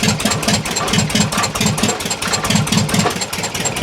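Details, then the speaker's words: 1973 VW T2 Bay camper, poor running and no power: uneven lumpy idle with sharp ch-ch chuffing and missed beats; broken exhaust bolts, failed gaskets, dead cylinder, suspected manifold gasket or possibly cylinder head. "not only that there's an ominous CH I don't know if you can hear it on the video and this side like ch ch ch ch now I'm hoping that's uh just manifold gasket if not I think it may be the cylinder head"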